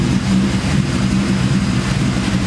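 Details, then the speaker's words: Ford Cobra with big cams and ported Eaton supercharger, before tuning: lumpy V8 idle with a steady hum and squeal over it; owner suspects the throttle bearing, not confirmed. "Guys, I'm guessing that humming noise is the throttle bearing. Like I can hear it pretty loud in here."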